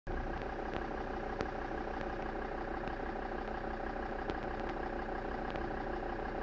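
Diesel idle is uneven, with irregular sharp knocks and stumbles breaking up the beat every second or so, so it's running rough.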